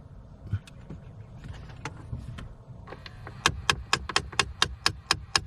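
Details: 2013 Jeep Patriot: sharp, even clicks about four a second from behind the dash when the temp knob is at full cold; blend air door actuator clicking at end of travel, stops just off cold.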